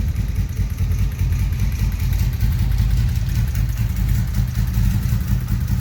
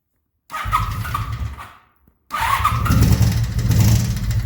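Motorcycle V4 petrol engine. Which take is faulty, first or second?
second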